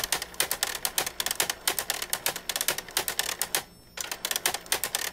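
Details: Epson ET-2750 printer makes rapid, uneven plastic clacking from the rear paper feed, then reports paper out; the shaft LD drive gear is broken in two, and the fix is replacing it.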